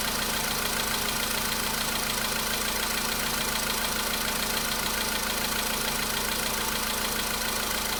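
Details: VW Polo Sedan engine at steady cold idle, a day after oil change and flush with flushing oil: light, fairly even tapping about 207 a minute over hum; knock was absent the day before, now back but milder, cause unknown.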